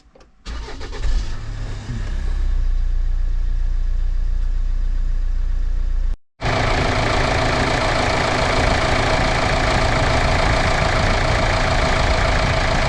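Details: Kia Sorento 2.2 CRDI diesel, just rebuilt after alternator, power steering pump and belt replacement: cranks briefly, catches and settles into a steady, even idle with no knocks or squeals; healthy start and run.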